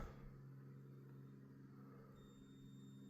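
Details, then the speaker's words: Van Victron system with GX IO-Extender driving generic PWM modules for LED light dimming: a low, steady electrical hum with a faint higher whine and no rhythm, from a PWM dimming module buzzing under load. "Man, you hear that one hum."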